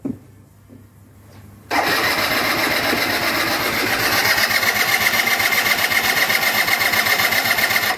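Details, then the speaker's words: MBK Stunt scooter that hasn't started in 6 months, with a broken kick: the starter whirrs for about six seconds but the engine never fires because fuel isn't arriving. "alors il démarre pas vous voyez"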